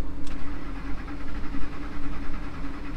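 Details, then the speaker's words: Truck that died in a drive-thru with P0174 and P0191 codes: starter grinds in uneven pulses but it never fires; crank no start from no fuel, fixed by new fuel rail pressure sensor and fuel sending module. "now it won't fire up at all let's try and take the key back out and see what that does"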